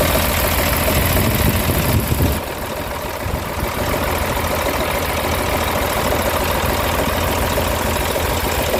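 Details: C11 diesel engine, possibly on a 966H loader, at steady idle: heavy clatter with a dull knock repeating roughly three times a second; cause not pinned down.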